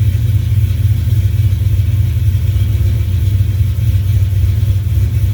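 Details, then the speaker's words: 1970 Plymouth Duster with a self-built 340 V8, cold start after fitting new pushrods to cure lifter clatter and ticking: deep, even idle with no ticking; sounds good, but the owner feels it lacks power. "It sounds good and it runs good, but I feel like it should have more."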